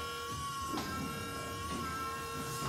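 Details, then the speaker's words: Ford Motor Company (Famoco) electric power steering pump, ignition-triggered 12 V, in a 1939 Ford cab-over on a 2002 Durango chassis; engine off, steady high-pitched electric whine, louder than with engine running; normal pump running. "Now you can hear it running there, but you don't hear that noise with the engine running. It's pretty loud whenever the engine's not running."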